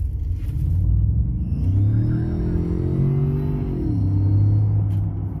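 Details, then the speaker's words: Ford F-150 EcoBoost: engine revs up and eases off with a faint high whistle under heavy acceleration, often mistaken for the turbochargers; caused by a broken exhaust manifold bolt leaking exhaust between engine and turbo. "people mistake this sound from coming from the turbochargers let me show you where this noise is actually coming from"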